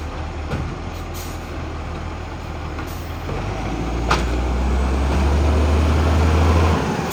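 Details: 2010 Tea Tree Gully garbage truck, diesel, pulling up: regular rapid chuffing near four beats a second; exhaust leak.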